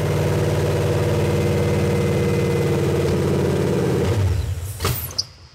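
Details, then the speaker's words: Supercharged V8 for SVT Lightning, first start on a pallet with mass airflow sensor disconnected: deep lumpy idle runs a few seconds then sags and dies when throttle applied; cause not confirmed. "as i give it throttles when it dies all right start up again we'll let it run for a second oh we can't give it throttle guys"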